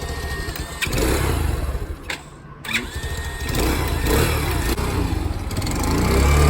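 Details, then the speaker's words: New carbureted Grom-clone motorcycle on its first start after unboxing: it catches after a few cranks, blips up on the throttle, then settles into a steady, even idle. It runs. "All right, let it idle. There you go. Nice. So she works."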